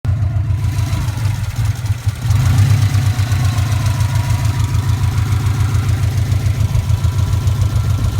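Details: Subaru Impreza classic flat-four at warm idle: light, fairly quick tick over a low, steady rumble, present even when warm, after a bottom-end rebuild without head work; owner suspects shimmed buckets, possibly rod knock, unconfirmed.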